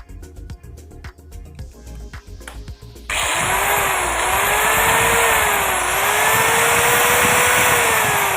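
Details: Marble cutter after a new field coil and bearing change spins up to a strong, even, steady high whine with no grinding or rattle; running normally after repair.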